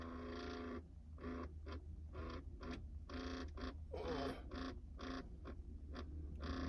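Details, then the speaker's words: 1988-94 OBS Chevy truck, replacement climate control head plugged in, blower motor not hooked up: uneven squeaky chirps over low hum as HVAC actuator makes an unfamiliar noise; button feels sticky, unit to be removed. "never heard that actuator make that noise before, but I think what we're gonna do, this button kind of feels a little sticky though."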